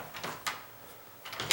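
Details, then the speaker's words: Deadbolt on a house door, installed over 17 years ago: two quick dry clacks as the bolt throws and stops dead against wood with no clean click, so it is not extending fully; the strike pocket is too shallow. "And I can tell, I can feel and hear that it's hitting something. When you throw that deadbolt in, when you throw the strike and the latch, this part right here, the latch, into the hole, you shouldn't hear it hitting the wo"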